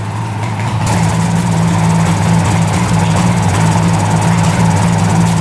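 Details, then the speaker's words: 1975 Suzuki GT750 two-stroke triple, sitting since 1986, just revived on new plugs: smooth, steady idle at about 1,000 rpm with no missed beats; all three cylinders firing evenly. "Even idling idling at one grand. Holy cow."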